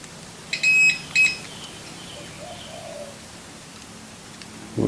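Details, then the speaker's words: 330 MiniHex rebuild, continuity testing: two short high-pitched tester beeps show continuity on the negative where there should be none; cause suspected, not confirmed. "should not have heard that noise hmm"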